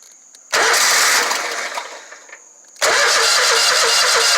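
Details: Exmark Lazer Z 72-inch mower, about one-year-old Kawasaki FX1000V engine: starter turns it over in two long bursts but it never catches; crank no start, fuel shutoff solenoid not getting power.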